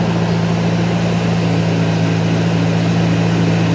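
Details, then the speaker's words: 1991 Mercedes 190E with new hydraulic lifters, cold start after sitting overnight, slight fuel bleed-off suspected: steady low rumble at cold idle, no lifter tick, valvetrain quiet; owner suspects exhaust pinholes or worn manifold gaskets; normal cold idle. "my thing is ticking from lifters it seem fine to be honest I didn't hear anything"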